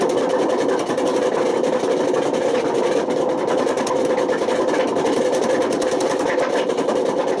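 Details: Washing machine on high spin with badly worn drum bearings: a loud steady roar with a fast rumble throughout. The bearings got so bad they damaged the spider and put excessive wear on the motor.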